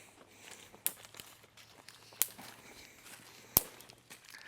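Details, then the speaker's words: Horse-lot electric fence reading only 1.7 kV at its end, with a ground fault to the west: sharp dry snaps about every 1.3 seconds over quiet outdoor background. The fence is arcing to a hard ground. "I still hear it snapping somewhere down here if you're really quiet you can usually hear that snapping from a pretty long ways away it's a hard ground somewhere"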